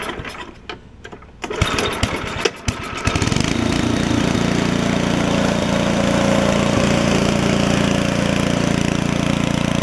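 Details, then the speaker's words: Ariens ST724 snowblower after carburetor cleaning and adjustment, cold start with choke and one primer push: a few rough pulls and sputters, then steady even chug with no misses; runs well, drive and auger work. "it runs good the drive works the auger works"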